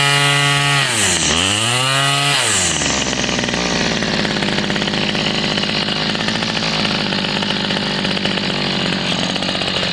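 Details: Homelite 30cc two-stroke string trimmer that wouldn't start, running after a carb kit, carburetor cleaning and a new fuel line. Revs sweep down and back up, then a steady high buzz with no stumbles or misses: healthy running after repair.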